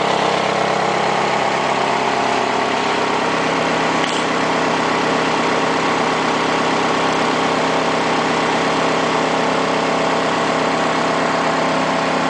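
Engine idles steadily with a busy mechanical clatter riding over it; clearly not a clean idle, but the source can't be pinned down.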